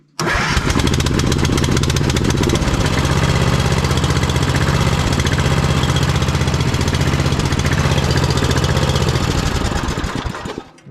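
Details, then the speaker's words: Vintage Simplicity Cavalier 3110 riding mower with 11–12 hp Briggs & Stratton, started on jumper pack after choke/throttle cable readjusted: catches quickly, then low, lumpy, slightly uneven beat; keeps running but won't settle into a clean idle. "still going doesn't really want to idle but"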